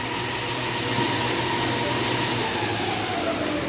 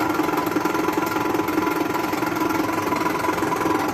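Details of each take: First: Ceiling-hung air-conditioner indoor unit after repair, with the sagging assembly packed up level so the fan motor sits true: only a soft, even fan hiss and a faint hum, no rubbing or rattles, running quietly and normally. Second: Old ceiling-hung air-conditioner indoor unit before repair: a steady droning hum with a rough, uneven beat near 160 a minute, from a sagging assembly that knocks the fan motor out of line, later fixed.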